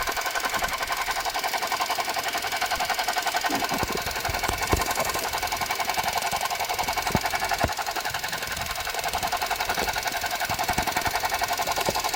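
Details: Suzuki Jimny JB64 at idle: rapid, somewhat uneven rattling tick about three to four per second, from a faulty alternator, replaced under warranty with a new alternator.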